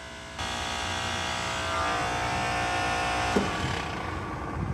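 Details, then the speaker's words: Walk-in freezer compressor, third after two failures in weeks, after swapping two wires to correct rotation (quieter, about 7 amps): steady buzzing hum then sudden clunk near three seconds and abrupt shutdown; suspected internal breakage, not confirmed. "oh boy did you hear that thing shut off that didn't sound good so maybe it is the right rotation but man it sounds to me like she snapped off"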